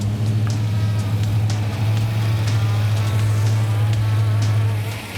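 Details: 1961 Pontiac Bonneville V8 with Turbo 350 swap, first start after rebuild, warming up with electric choke working: steady, even low rumble, no knocks, misses or ticks; normal running.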